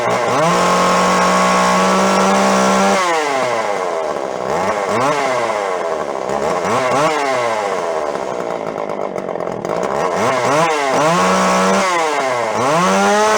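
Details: Jonsered 510 two-stroke chainsaw, yard-sale revival: revs surge and hunt up and down several times a second instead of holding steady; rough running.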